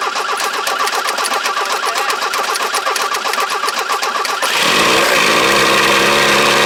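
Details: 1983 Ford Ranger cold start: cranks over, catches at about four seconds, then runs loud, uneven and lumpy, sounding rich and rough; owner believes the carburetor, likely from a 306, is too big for the engine.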